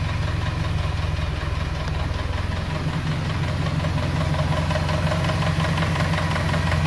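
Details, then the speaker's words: 2.3–2.5 Ford Ranger, about 4,000 miles since build, warm idle before teardown: light, quick tick faintly over the engine beat, intermittent, sometimes loud, sometimes quiet; sticking hydraulic lifter, before repair. "got just a little bit of a tick and sometimes it does it sometimes it doesn't sometimes it's super loud sometimes it's quiet like this"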